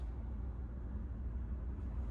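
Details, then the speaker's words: Chevrolet Trax Crossover at idle in Drive at night: deep, steady low drumming hum and vibration reaching the cabin, quiet in Neutral; owner suspects passenger-side engine mount, not confirmed. "자, D이고요. 달달달 두두 소리 나 겁니다."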